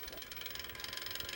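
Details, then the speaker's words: Defective Sega Saturn stuck at the Saturn logo but accessing the disc, laser working: fast, even ratcheting tick about twenty a second over a thin whir as the disc spins; something possibly wobbling inside, cause uncertain, owner thinks it needs opening and cleaning. "It It works. The laser works. Just something is maybe wobbling inside here. I'm not too sure what the issue is."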